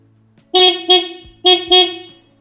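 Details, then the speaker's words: Stock horn on another Kawasaki KLR650, played for comparison with a Denali Soundbomb Mini fitted to a 2023 KLR650: two pairs of short, bright, fairly high-pitched toots at even strength. The Soundbomb was judged lower and more bassy. "that sounds much better than the original horn"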